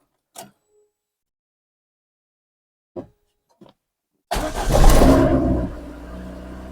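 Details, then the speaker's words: Injected VAZ 2109 (ВАЗ 099) cold start in the morning: clicks, revs flare then sag into uneven struggling idle before stalling; won't hold idle, high fuel consumption, began in cold weather; owner suspects a sensor, plans to replace MAF (ДМРВ); cause unfound. "Ну що поломалась моя машина це99 інжекторна що з нею заводиш її зранку не тримає холостий великий розхід палива"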